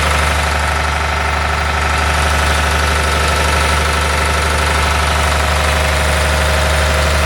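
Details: John Deere 850J dozer diesel after second rebuild, run outside: steady, even idle with smooth low thrum, no knocks, rattles or misses; no leaks, all normal.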